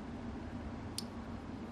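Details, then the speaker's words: Luminode mainboard in a test module built from a Freescale sensor node, after programming succeeded. The heartbeat LED and RGB LED are cycling, and a single crisp relay click at each cycle over a quiet hum is normal switching. "we've got the heartbeat we've got the RGB cycling through and each time it gets through you can hear it click"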